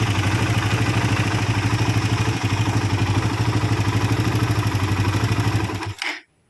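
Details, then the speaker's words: Suzuki Satria FU motorcycle idling with fast metallic clatter on each firing pulse, rough engine; suspected worn timing chain and faulty tensioner (converted from automatic to manual), left block area, worse when hot. "Asalamualaikum, Bro, Satri FU with the condition of the engine sound rough, well, this is for the rough sound part, it is in the block area on the left, it is possible that the temporary analysis comes from the sound of the tensioner chain."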